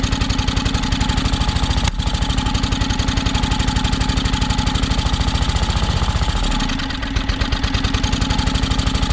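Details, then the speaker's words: John Deere X485 mower, fresh gas, plugs checked, battery nearly dead; low thumping idle that stumbles and sags then picks back up unevenly; owner suspects fuel starvation, maybe air pressure related; rough running. "sounds like it's definitely um sounds like it's starving for fuel i'm wondering if it doesn't have something to do with the air pressure"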